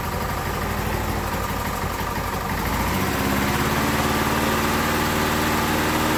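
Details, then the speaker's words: Briggs & Stratton small single-cylinder test engine at idle: hollow, uneven chuff with a thin pulse after the speed shift, burning oil heavily; cylinder damage and worn rings let oil past, leaving virtually no compression. "there's far too much cylinder damage in it there's virtually no compression left in this thing at all it's just there's like nothing so we're getting way too much oil pass the Rings that's pretty well as simple as that"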